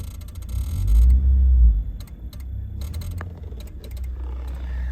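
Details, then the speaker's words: Suzuki Grand Vitara idling: irregular rapid relay clicking near the glovebox over steady idle, with 4WD lamps flickering only when running and worsening with revs; mechanic suspects spark plugs or coils causing high-voltage interference on the electronics. "ідея полягає в тому що в нас свічки запалення або котушки Ну короче високовольтна частина дає наводку на Електроніку і від цього вона трошки дуріє"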